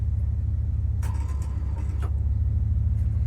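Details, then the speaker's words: Ford Econoline 100 van on a budget revival, distributor just installed and timed, gas poured in carburetor, small battery: steady low starter churn with even cranking pulse but engine never fires; crank no-start, cause unknown. "Uh-oh. See, shit's not wanting to It's not really wanting to work here. I don't know why."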